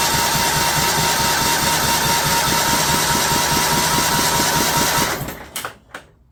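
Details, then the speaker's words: John Deere LT150 with replacement 15 HP Kohler engine after swap: even cranking about 2.5 beats per second that never catches, then stops; fuel pump running dry, struggling to prime, hard start. "we'll give it a little shot a little help here the pump might be uh struggling to get a prime there so we'll make it run a little faster"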